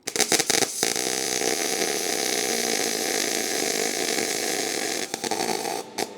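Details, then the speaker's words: MIG welding thin exhaust pipe: steady crackling arc falters and breaks up as a brief pause lets heat run away and blow a hole through; burn-through from excessive heat, fix by turning down to 18 volts and welding in sections. "uh-oh so what happens if you burn a hole through just like that so I'm running and I pause for a split second the heat got away which is a sign that I need to turn the Heats down a little bit"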